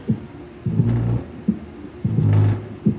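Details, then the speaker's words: Kicker CVX 15 subwoofer after voice-coil rattle repair (coil epoxied with panel bond, cured overnight, terminals resoldered; coil not blown, correct resistance), tested at low wattage: clean deep bass thumps and low notes, no voice-coil rattle heard; normal playback. "you'd hear the voice core rattling like crazy and fortunately i don't hear any rattle at all"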